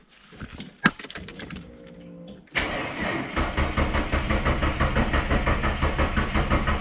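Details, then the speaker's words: Ford EF Falcon with the starter turning the engine over in an even churning rhythm that never catches. It cranks without starting, likely because the tank is empty; it started after fuel was added. "okay yeah she's not starting [Applause] all right I hope that Smart Lock hasn't [ __ ] cutting again it might be out of fuel so let's just uh put some fuel in it first"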